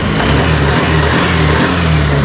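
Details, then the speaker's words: NMAX B2 scooter that would not start for about three weeks, showing error 1 and error 3, with an ECU replacement considered: it starts once the dashboard panel is unplugged, with a steady, even low drone and no misses; panel is the fault. "It's alive! So pinoproblema tong motor na to, hindi mapaandar at gustong palitan na ng ECU. Pero tingnan nyo, minuto lang umaandar na."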